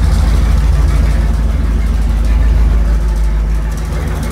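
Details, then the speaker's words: Gen 1 HEMI V8 on a dyno, making about 120–127 at around 4200 rpm; deep, steady, even rumble with no knocks, ticks or mechanical noises and no leaks; engine holding together, normal running. "let's hear if the engines holding together and there don't know it or a brush is good see it 57 there's no mechanical noises"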